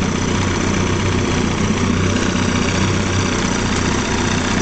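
Steady, even two-stroke idle with a low throb and no misses or knocks; the outboard is idling cleanly.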